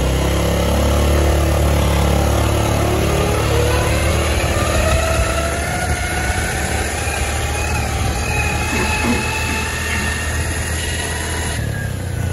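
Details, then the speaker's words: Honda Beat FI automatic scooter while riding: a rough whine rising and falling with road speed over the engine drone, not audible at idle. It comes from worn final drive (ratio) gears, possibly related to a leak. "jadi suaranya begitu Ya pokoknya suaranya Kasar banget jadi kalau posisi langsam itu enggak kelihatan ya suaranya Jadi pas jalan itu kayak gitu tadi Kasar banget nah itu adalah rasio nangis ya"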